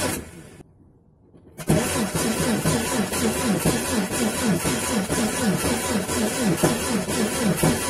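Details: Renault Twingo C3G engine cranking with uneven speed, about four beats per second with soft strokes; low compression on cylinders 2 and 3.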